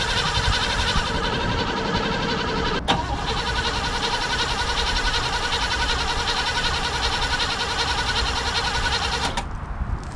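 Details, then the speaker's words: Abandoned 1988 Caprice Classic wagon, unstarted for 15 years, likely with an in-tank fuel pump: the starter cranks unevenly for about ten seconds but it never fires; owner suspects a fuel supply problem or a dead fuel pump and plans to prime it with 50:1 fuel. "you're gonna have to feed her some of the 50 to one get it to fire off and if i can get it to run long enough it should suck fuel up from the fuel tank unless the fuel pump's dead which is possible"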